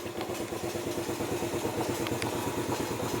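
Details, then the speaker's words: Motorcycle fitted with an Android Smartkey 3-in-1, started through its engine-start feature. It fires up and idles at a steady, even beat of about three pulses a second, running cleanly. Normal idle. "dan mesin motor menyala."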